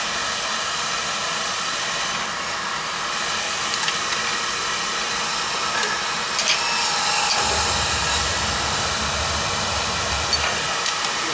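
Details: Beckett oil burner with outside tank after air bleed: steady, even roar with breathy hiss, no pulsing; firing smoothly, though moisture in the tank is suspected.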